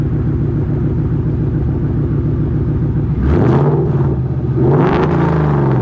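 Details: Ford Mustang with Coyote V8 after new exhaust and Y-pipe install fixing a months-long rattle (traced to a fender bolt): steady low drone at highway cruise, then deep rising roar under wide-open throttle; smooth, no rattle, healthy.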